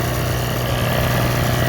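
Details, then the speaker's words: Chicago Electric (Harbor Freight) generator model 66619, small single-cylinder engine, after a new carburetor, spark plug and inline fuel filter; the old carb had been full of goop and the plug fouled. It holds a steady, even putter for several minutes without dying or leaking fuel. "well rain's arriving but uh generator ran just fine for a few minutes so I hope we've got that solved"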